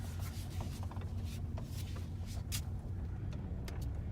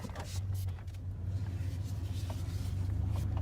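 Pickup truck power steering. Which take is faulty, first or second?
first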